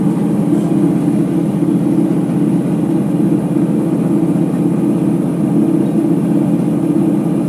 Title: Ipso HF 65 commercial washer final spin with bad bearings